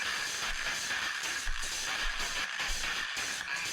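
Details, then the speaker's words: Mini 700 mW BD139/BD140 power amplifier playing music: harsh, fuzzy, smeared sound, tune barely recognisable, heavy clipping; overdriving suspected, not confirmed. Distorted audio output. "oh that is so distorted maybe because it's being overdriven um yeah that sounds terrible"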